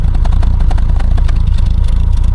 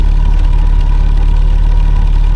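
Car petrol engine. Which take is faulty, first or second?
first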